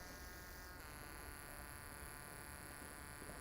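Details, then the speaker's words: Toyota/Lexus key-off EVAP vacuum pump run on a bench supply, drawing about 46 mA; its steady buzz changes pitch as the pump inlet is blocked and deadheaded, drawing under 100 mA; normal pump behaviour under load. "as we stress the pump you'll hear the tone change alright so if I just block off the pump you guys can hear that that tone is changing"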